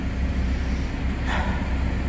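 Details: 2007 PT Cruiser idling after the TIPM replacement; it used to stall after warming up despite a new fuel tank, pump and filter. Low, steady rumble with no dips, stumbles or surges; it stays running.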